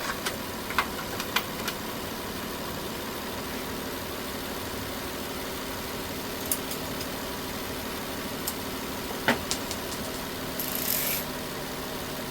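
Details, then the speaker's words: Nissan Altima (2007 or 2008), 232,267 miles, after P0171 lean-code repairs to coolant and vacuum leaks; warm after running several minutes with cooling system pressurized to about 12 PSI. Quiet, even idle with steady hum and light background clicks, no misses or hunting; running great, fuel trims good. "Hey, look. This car is running great. We saw the fuel trims. It's working out really well."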